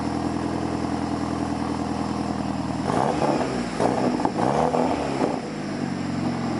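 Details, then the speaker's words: Boosted Hyundai Genesis, cold start at about 70°F after a major exhaust leak repair: a steady, even idle with a couple of brief blips and no ticking or puffing from joints, only the intentional dump leak. Normal cold-start idle. "Alright guys, so this sounds 10 times better than what it sounded like. I don't really hear any exhaust leaks except for the one that's on purpose, which would be from the dump."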